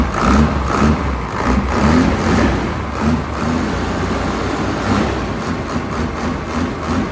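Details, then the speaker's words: Hino J08C truck, inline-pump 210 hp diesel, parked unused two years, started easily; diesel chatter with a few gentle throttle blips settling back evenly, no misses or knocking; engine judged still good. "[ปรบมือ]เครื่องโอเคนะครับเครื่องยังดีอยู่"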